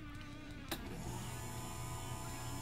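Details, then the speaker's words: Marantec garage door opener that would not close because the safety sensors were misaligned; after realigning them, remote and wall button work. A click, then the motor settles into a steady even hum with no grinding or straining. Normal operation. "hey the remote works we can hear the machine running here's the wall button let's try it perfect"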